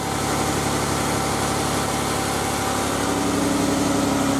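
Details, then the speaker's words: Jeep JKU just restarted after oil leak repair with new parts and new plugs, oil refilled, battery had been dead: smooth even idle with a steady low drone, no knocks or ticks; normal idle. "We shall find out. There it is. Back and running. Might smell a little bit."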